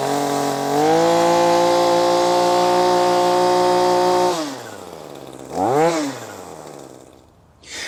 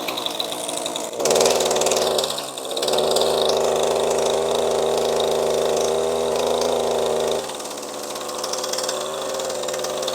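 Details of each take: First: ECHO SRM-2620T two-stroke string trimmer on 50:1 mix, after cleaning its clogged spark arrestor (exhaust) screen; a high, steady buzz holds clean at full revs, then winds down and blips freely; full power restored. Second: ECHO SRM-2620T two-stroke string trimmer, 2 years of daily use with no maintenance, 50:1 mix. Buzzy, uneven idle sags and bogs under any throttle, with weak exhaust flow from a clogged spark arrestor screen.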